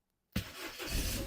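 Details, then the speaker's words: 2005 Ford Fiesta with a faulty key barrel causing intermittent starting, now fitted with a basic push-start switch, started with ignition on and the button pressed: silence, then the engine catches instantly and settles into a steady running note. Clean, healthy start. "button job done see now car start"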